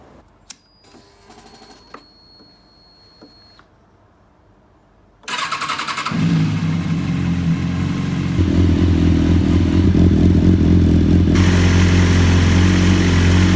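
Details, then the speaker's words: 2005 Kawasaki ZX-6R inline-four after repairing a dead cylinder, started and not fully warmed up, revving cleanly and evenly with all four cylinders firing, sounding healthy. "Dat klonk nu eens als een echte Ninja De blijdschap om mijn ninja te horen is echt sky high"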